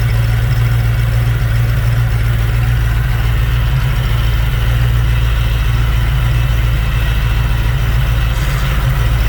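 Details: Fox Body Mustang: deep, even idle rumble at a steady speed with no belt squeal, misfire or stumble; a healthy warm idle, though the oversized pulleys make the alternator weak.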